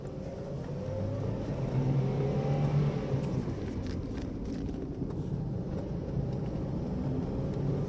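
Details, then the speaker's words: Used car test-driven on the rough road inside a pool yard: low, even road rumble with no clunks or knocks coming through; the suspension is quiet and tight, the clutch is soft, the AC is cold and the pull is still good. "Sejauh ini sih kopling empuk, AC dingin, kaki-kaki pun senyap, tarikan juga masih oke."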